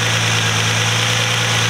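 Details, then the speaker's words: Nissan Altima SE-R at idle: thin, constant high hiss-whistle over the low hum from an intake vacuum leak at the catch can hose fitting into the intake; resealing planned, idle returned to normal once addressed. "And I don't know if you guys can hear that whistling noise, but it's definitely an intake leak."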